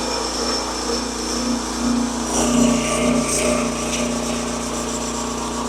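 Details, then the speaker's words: Old log splitter that had been blowing its hydraulic tank cap off and barely running, now running after work and cycled repeatedly with fresh fluid to purge air; steady engine buzz, even load swells, no chatter or cavitation whine. "now what I'm going to do do here is run this thing through several Cycles now that I have fluid in it and the idea is to make sure there's no air"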